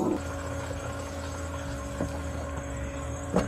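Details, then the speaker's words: 1989 Jeep Cherokee XJ Renix 4.6L I6, in-tank fuel pump run via jumpered relay (30 to 87) to drain fuel: steady even electric hum with faint whine; pump running full-tilt, normal. "there we go it sounds like a pump so you hear that thing going full-tilt [Music] she'll just be popping fuel"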